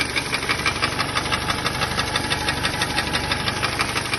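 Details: Kia Sportage 2-litre engine after cleaning the camshaft phase sensors; sharp even knock about three times a second persists over idle; knock remains, cause not found.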